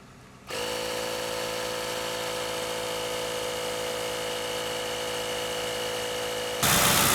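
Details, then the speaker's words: Government-auction Crown Vic, no engine light, engine started and idling after purchase unheard: catches and settles into a smooth, steady idle with an even hum, no ticking, knocking or strange noises; normal idle. "I think I have lucked out I have lucked out again I got horseshoes up my ass that's for sure there is no strange noises"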